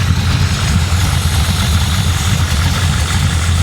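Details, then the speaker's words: Carbureted 560 hp V8 Impala warming up after a drive, with electric choke hooked up: deep steady rumble, even beat, no misses or knocks; idling smoothly and healthy. "But listen to it now. >> Sounds good. >> It sounds great."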